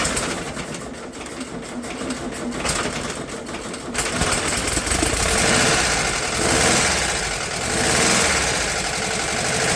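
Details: VW T2 Bay Window campervan, air-cooled carbureted flat-four, first start after engine removal and gearbox bellhousing replacement: it catches and settles into a busy, clattery but even idle with a steady beat, running normally.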